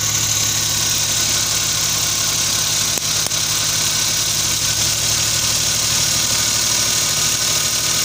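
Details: Suzuki K6A small engine idling with uneven, stumbling beat, exhaust pulses skipping now and then; misfire at idle.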